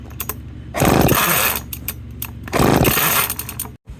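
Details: McCulloch 10-10 Automatic two-stroke chainsaw, first run, fuel mix ratio uncertain, recoil broken: screams in throttle bursts, then sags and sputters instead of settling; won't idle, cause not yet found.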